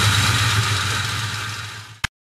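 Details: Mustang GT 2V engine idling with fast light ticking and faint tinny chatter. Owner suspects a loose passenger-side timing chain from a faulty tensioner or worn chain guide.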